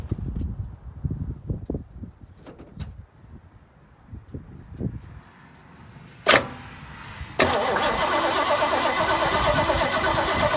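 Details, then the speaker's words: 1968 Mustang after sitting 8 years, with a new battery: quiet clicks then steady even cranking that never catches; starter works but engine won't start, relay suspected bad as the key needed several tries. "Clearly the starter does work. So, yeah, the starter works. So the starter's good."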